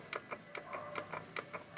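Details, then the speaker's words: Ford Fusion with FNR5 automatic, vibrating above 100 km/h, mounts checked OK: sharp metallic clicks as the half-shaft is rocked up and down by hand, revealing up-down play in a worn inner CV tripod joint (tulipa/trizeta). "Então a gente vai movimentar o semi-eixo ali e verificar se tem barulho e folga aqui. Ok. Podemos verificar que existe sim uma folga."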